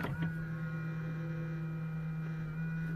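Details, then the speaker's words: 2007 Hyundai i30 folding mirror: steady, low electric hum, noise changes with each button press, but the mirror doesn't move; the fold motor runs constantly, likely from a broken internal part, repaired without new parts. "now I know that motor is the one that folds the mirror, because every time I press this, there's a change in the noise."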